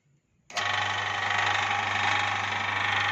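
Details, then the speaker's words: Maggot feed-making grinder machine after setup with type B belt: starts abruptly into steady hum with high whirring whine, slightly coarse but even; grinds much faster than the previous setup. "Ini ya, jadi agak kasar, tetapi dalam penggilingannya dia lebih cepat."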